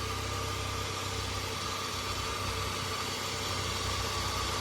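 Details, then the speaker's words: Pontiac after the starter was replaced and a misplaced ground wire was moved, which fixed it; some smoke expected: even, settled idle with a low steady hum and no knocks or stumbles; normal idle. "That one ground wire was in the wrong spot, and moving it did fix it."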